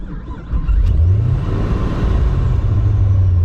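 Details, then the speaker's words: Hot restart of a ProCharged 2006 Pontiac GTO, LS2, E85, D1SC Procharger, after about 10 minutes sitting, with a newly installed starter (old one slow-cranked, wouldn't start hot). Brief crank, catches within half a second, steady idle; normal hot start. "Actually started right up. So, that's cool."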